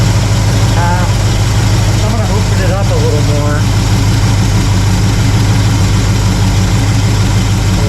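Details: Warm carbureted V8 (1968 Pontiac LeMans or Chevy C10) during quarter-turn idle mixture screw adjustment, little change heard: steady, even low rumble, no misses or knocks. Settled, healthy idle.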